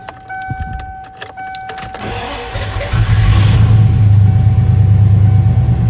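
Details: 1995 Ford F-150 Lightning 5.8L V8 after installing new Powermaster 9503 XS Torque starter: a few clicks and cranking, then the V8 catches and settles into steady, even low rumble; normal start and idle.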